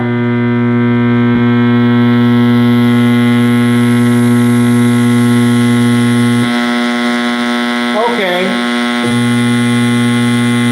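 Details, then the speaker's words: 1960s General Electric TV (LW chassis): a loud, steady mains-type buzz with stacked even tones. A test speaker wired in makes the same noise, confirming an internal circuit fault drives the speaker, not a bad speaker. "We've confirmed that noise is something internal causing the speaker to do that."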